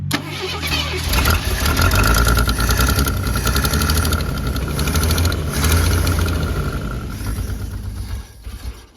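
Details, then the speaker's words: Carbureted Mercury Zephyr Z7 GS Fox body after a carburetor rebuild; catches and idles roughly for several seconds, then sags and dies. Fuel filter looks empty: suspected fuel supply problem. "So it's still doing the same thing. Starts up, dies, starts up, dies."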